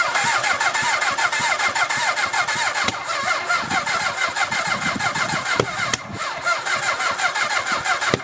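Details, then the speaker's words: Half-scale NASCAR kart with 750cc four-cylinder motorcycle engine, abandoned outside four years, after cleaning fouled plugs: catches but pops and stumbles in uneven bursts, never a clean idle; plug wires swapped, so the firing order is wrong. "I was looking back at old videos because this as you guys saw this thing kept popping and popping and popping and popping and I'm like it sounds like it's like the firing ORD is all messed up but I don't remember ever switching around the plug wires"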